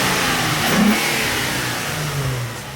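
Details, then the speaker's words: Nissan 350Z with a freshly built V6 on its first start after the build. Clean free revving that rises and falls smoothly, with no misses, rattles or knocks. Sounds healthy. "Wow. That sounds good. Yeah, buddy. This sounds real good."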